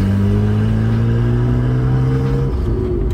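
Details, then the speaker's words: Nissan R32 Skyline GTR under acceleration: a loud, raw, unmuffled drone with a rising tone and audible turbo whir, pointing to an exhaust leak or separated downpipe. "now you can hear how garbage this thing sounds yeah terrible iron32 trailer [Music] embarrassing noise"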